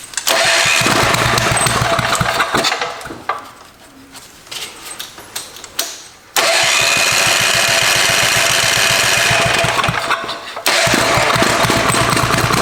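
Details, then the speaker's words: Barn-find Tecumseh 4-stroke small engine (probably about 5 hp), electric start, rewired with points and ignition rechecked, freshly refueled with carb set better: catches, fades and dies, then restarts with a fast uneven beat; starts easily but rough running, needs carburetor tuning. "make it into a running little motor that actually is not horrible it needs tuning but it starts really easy and it's electric start"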